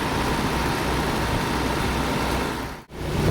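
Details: Mercedes W124 M102, first run after converting from Bosch KE-Jetronic to Voltarent EFI: a fast, steady hum with no hunting or misfire, idle too high at 1,800 rpm with timing advance also high, to be lowered.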